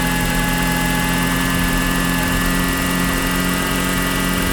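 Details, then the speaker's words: 1988 Toyota 4x4 van engine at idle: steady high whine, first suspected water pump, traced to a worn alternator bearing, then serviced. "Another video. I finally figured out where that whine is coming from."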